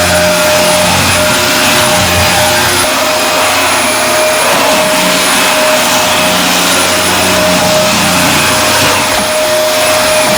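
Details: Dyson DC24 All Floors upright vacuum running after its ball filter and canister were removed and cleaned: steady airy roar and even mid-pitched motor hum, no whine.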